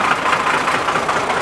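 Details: Cold start of a 1995 Ford F-series box truck with a 12-valve Cummins diesel, after fixing a fuel line that was sucking air: steady, even diesel clatter with no misses or knocks, a healthy idle.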